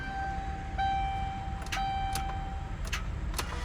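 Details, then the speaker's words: Rusty Ford Crown Victoria, long parked with dead battery, jumped and driven, then stalled; with plenty of battery power, key turn gives warning chime and one good sharp click, no cranking; failed starter, tow called. "one good click that's it"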